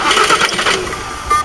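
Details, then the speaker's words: 2007 Jaguar X-Type SE 2.2 diesel with an intermittent no-start: a thin steady high buzz over the starter while cranking without catching, the injectors buzzing to relieve high pressure. Codes are P2288 injection control pressure too high and P0191 fuel rail pressure range; cause not confirmed. "and you can hear the buzzing from the injectors where it's trying to get rid of the high pressure."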